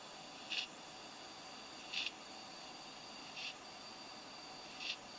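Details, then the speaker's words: Computer that had been bogging down: sharp high clicks about every second and a half over a quiet hiss, growing louder over time, with occasional cut-outs; failing, crashed hard drive clicking. "Yep, as I expected, it is definitely a hard drive problem. You can hear it clicking away right there. And it gets louder the longer you wait."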